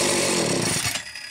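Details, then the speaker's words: Homelite chainsaw (350–750 series, coil and transformer ignition), a known runner started to prove it: fires straight up into a crisp high-pitched buzz for a second, then cuts off cleanly; ignition and engine healthy. "this saw is a known runner and we'll just prove that real quick"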